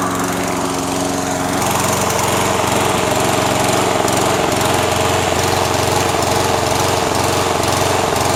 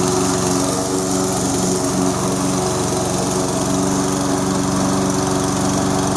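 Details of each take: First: Toro SR4 Super Recycler mower, 159cc engine, running with no load before repair: speed swells and sags every few seconds, governor hunting; surging later repaired. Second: Toro SR4 Super Recycler mower, 159cc engine, after fixing surging by cleaning out debris: even, steady drone with no hunting or surging.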